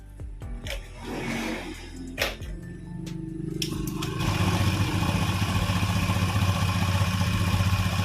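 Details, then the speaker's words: Honda Scoopy (K44) scooter with CVT components removed, checking engine alone: catches after a few cranks and settles into an even, smooth idle with no knocking; axle not wobbling, normal idle. "OK, yes, the sound of the engine is heard. it's also quite smooth, Bro, in this condition without us installing the gvt components"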